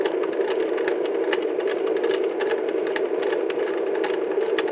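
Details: Mid-1960s Lloyd's TY-799A portable tape recorder playing side two of a tape: rough, clattery mechanism whir with no programme sound at all; tape runs but no audio reaches the speaker.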